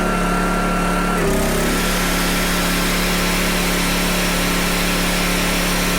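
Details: PowerTrain 900 W generator, previously not starting, fuel lines and carb work done; load thought to be roughly 400–500 W applied, small-engine drone sags in pitch as load comes on then settles and holds; normal running under load.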